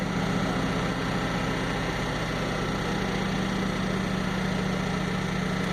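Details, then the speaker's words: 2004 Ford F-150 crew cab 4x4 at idle, lean codes stored: steady idle with faint uneven low thump in exhaust beat and wailing like a large vacuum leak; cylinder 1 shows negative contribution, misfire. "had a couple lien codes in memory and when it first starts you can hear this it's wailing noise and it sounds very much like a very very large packing leak"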